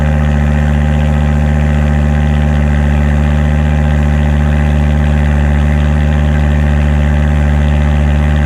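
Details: 2006 Volvo S60R with a new custom stainless cat-back exhaust and temporary blast pipe, no tip yet: steady, even low exhaust burble at idle with a smooth rhythm and no knocks or misses. Normal idle.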